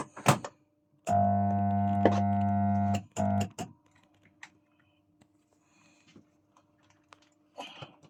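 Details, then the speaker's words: Boat wastewater pump not pumping: hard strained electric buzz in short bursts without spinning freely; shaft extremely stiff, something suspected stuck inside, likely needs a new pump, though it may have freed up. "Sounds like something's stuck in there, you know what I mean? Stop it. I'm just trying to free it up here, but it's extremely stiff, so looks like they'll need a new pump."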